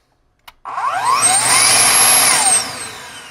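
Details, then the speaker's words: Found broken Dyson DC22 vacuum after repair, switched on: motor spins up to a high steady whine with smooth even airflow rush, no rattles or surging; seems to work, and the correct button turns it off. "seems to work all right the correct button turned it off"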